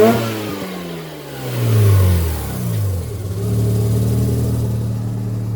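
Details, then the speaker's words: Mazda RX-7 FC street-port rotary, warmed up, after the whole fuel system was flushed. Free rev with no load at about quarter throttle climbs crisply to redline and drops back smoothly, no misses: healthy rotary. "I barely got to give it any gas and it redlines. That was probably quarter throttle."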